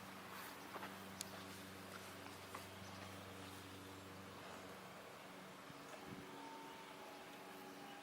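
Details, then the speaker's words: 1991 BMW 325i convertible, 2.7L stroker eta, Garrett GTX2867R turbo, Megasquirt, water-methanol, 5-speed, started cold: quiet, steady raised idle hum holding several seconds then dropping away; normal cold fast idle. "Still in, I just started it cold, so that's my fast idle you're hearing, but I'll flip it."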